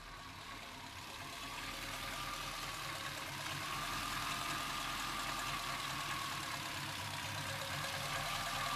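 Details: Chevrolet C-1500 Scottsdale with 350 TBI V8 at idle: uneven, lumpy beat around three or four pulses a second; idle sometimes drops so low the engine dies, cause unknown.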